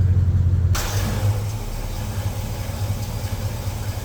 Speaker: Runs good. Oh, that sounds awesome.